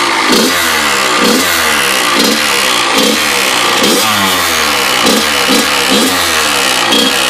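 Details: Freshly rebuilt Kawasaki KX100 two-stroke revving up and down in a repeating cycle with a raspy, buzzy edge. The owner can't identify the strange noise but suspects the power valve.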